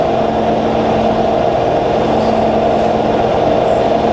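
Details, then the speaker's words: Fully rebuilt Bridgeport variable-speed milling machine, quill power feed reversed and feeding up: constant, even mechanical hum, no knocks, chatter or grinding; feed really nice and smooth. "You see it's now feeding up, and that's all working great. Really nice and smooth."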